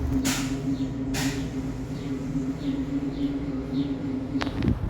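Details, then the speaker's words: VW Up! rocked side to side after replacing worn front stabilizer links that had play: the loud front suspension clunk is gone, only a steady background hum. "aqui é o mesmo teste feito no começo do vídeo agora de outro ângulo para melhor visualização após a troca das bieletas o barulho sumiu"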